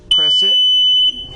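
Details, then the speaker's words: Invacare oxygen concentrator that supplies the Homefill compressor, switched on at the front panel: a single steady high beep of about one second, then quiet, the normal self-test confirming the power-failure alarm works. "and when you do that, you'll always hear that alarm, and the alarm is just telling you that your alarm is good in case you were to have a power failure or machine failure."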